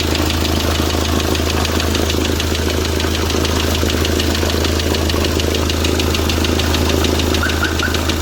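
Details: Hyundai D4CB diesel after running-in: steady idle with a sharp, regular ticking knock, a bit over two per second; bottom-end knock, cause unclear.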